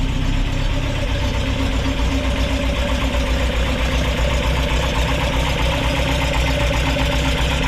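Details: Rebuilt Ford crossflow race engine in a Vixen with loaned cylinder head, warming up after first start following repair; strong even note with a steady low firing pulse, no knocks or misses; healthy.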